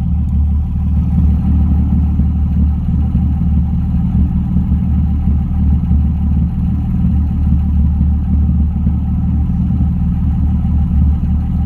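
Steady deep idle with a slightly uneven, lumpy pulse and a faint clatter on top; it idles a bit rough, cause not evident.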